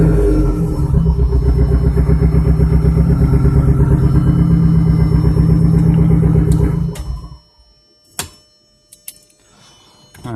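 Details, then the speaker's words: Audi TT big-turbo build, first start after long storage, on 2-year-old fuel: uneven, lumpy idle with irregular stumble until shutdown; misfire from an ignition coil connector not fully seated. "Alright, so it sounds a little rough. I'm going to go ahead and make sure everything looks good."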